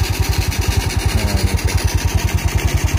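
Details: Yamaha Mio Soul scooter fitted with a Supra carburetor, started on half choke and then choke lowered: small single-cylinder engine settles into a steady, even idle of quick low pulses, about three per second, with a clean mechanical background; normal idle.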